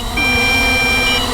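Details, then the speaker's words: MJX Bugs 8 entry-level 250 FPV race drone flying high: one steady high-pitched beep of about a second from the controller over a soft hiss, the low battery voltage warning, with the craft's lights flashing. "Okay, that's low voltage because I'm seeing the lights flash. Awesome. That's totally awesome. It gives you a beep on your controller on low voltage."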